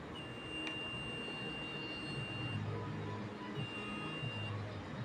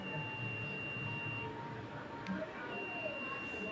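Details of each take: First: Multimeter set to continuity gives a thin, high beep three times, faint against room hiss, because the meter's battery is low; weak continuity beep. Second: Multimeter continuity test on a wire: steady high beep sounds, breaks, then returns, showing continuity so the wire is intact, not broken.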